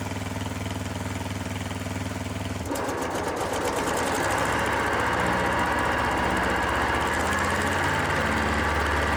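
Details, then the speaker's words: Kohler SV730S-0011 V-twin on a Bobcat zero-turn mower (Ransomes 942205) chugs evenly, then the electric PTO clutch engages and louder blade whoosh and drive rumble join at steady speed, on a severely cracked belt; running normally. "Well, the good news is the PTO it does work and the belt at least it held together long enough for a quick test."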